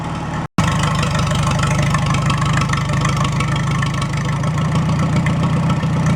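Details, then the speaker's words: Farmall A engine freshly installed, cold start, running with no coolant or radiator for about 5 minutes to warm up before valve adjustment: steady even low chugging idle, loud open exhaust, no knocks, good oil pressure. "so I'm going to let that run for about 5 minutes or so it's got no Cooling in it right now no radiator I'll let it warm up I want to adjust those valves and then uh you finish butting up the nose on the thing sounds good though good oil"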